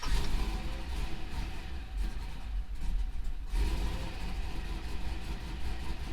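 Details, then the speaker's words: Chevrolet Avalanche truck with an added turbo, running on a wideband sensor only with no O2 sensors and the coolant sensor disconnected, just after start: a deep, lumpy idle that surges slightly. It runs rough and seems a bit lean, so the tune needs work. "had a little trouble running there i don't know why let's tell me low cooling level because obviously i have the coolant uh sensor disconnected so that would make sense but uh seems like it runs a little bit lean when i first started definitely gonna have to work on the tune here"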